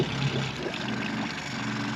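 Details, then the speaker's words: Idle of the 15 hp gas kicker outboard on a 1993 Duckworth 24' Magnum jet boat, started with choke and primer bulb in neutral; smoke, likely from winterizing, had cleared. Steady, even low idle, very quiet; running cleanly. "Listen, idle's down, you can't even hear it."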